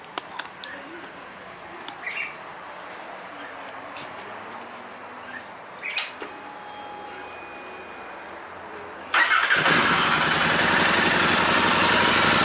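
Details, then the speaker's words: Royal Enfield Interceptor 650 twin on the stock air filter, before the DNA filter swap: quiet, then catches and settles into a steady, even idle with crisp regular pulses; normal idle. "เดี๋ยวให้ฟังเสียงเครื่องเดิมตอนที่ยังไม่ได้เปลี่ยนกองก่อน"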